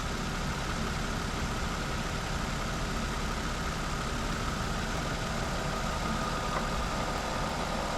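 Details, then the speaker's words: Car idling during an A/C recharge from cans, on the last can after the gauge dropped into the green (low): the compressor stays engaged with an even, unbroken hum and no cycling; A/C compressor running normally. "you can hear the AC pump staying running now so that's good"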